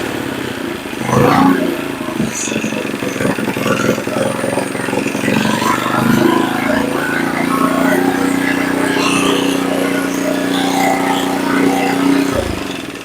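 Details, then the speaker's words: Earthquake Versa tiller with new carburetor, after turning idle speed up to the correct setting: engine settles into a steady, even drone without rising and falling; governor cycling gone, stable idle. "so what we did was we turn the idle up until it was at the correct idle spot for it and then the cycling went away away completely with it"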